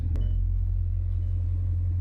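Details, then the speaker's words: Car with broken radiators, low coolant, barely any fuel and transmission, airbag, EPC and check-engine warnings: deep, lumpy idle with uneven low pulse. Engine misfire at idle. "Yeah, it's definitely misfire. You can like literally feel the power. Like that sounds like a fighter jet behind you."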